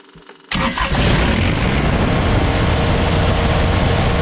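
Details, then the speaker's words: Kubota BX24 tractor diesel after replacing the fuel shutoff solenoid that caused won't-shut-off/no-start/poor running: starter catches in half a second, settles into steady, even clatter; clean start, shuts off and restarts properly. "And there you have it. It's fixed, and it should shut off, start, run, like the old girl's supposed to."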